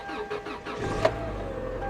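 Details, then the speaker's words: Subaru Outback at auction, 111,000 miles: a few quick cranking pulses, one sharp catch, then steady even idle; fired right up. "Let's see if it runs. Fired right up. She fired right up."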